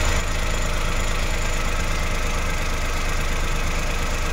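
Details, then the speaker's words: Suzuki Every Wagon with hard hot starting and RPM fluctuation, warmed up with cold indicator off and aircon off: smooth, even idle steady at 900 rpm with no hunting or surging. "So ayan nga guys, nasa 900 na yung kanyang RPM. Kitang-kita naman natin wala na siyang fluctuation sa kanyang RPM. Yan wala ng fluctuation sa kanyang RPM oh."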